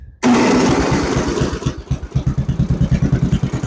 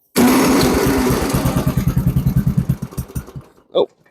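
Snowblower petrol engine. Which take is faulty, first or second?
second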